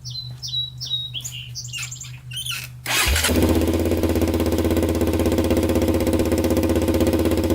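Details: 1999 Honda 400EX quad single-cylinder engine at its first start after a full engine rebuild, choke on: it settles into an even, steady thump about four per second, a clean, healthy idle.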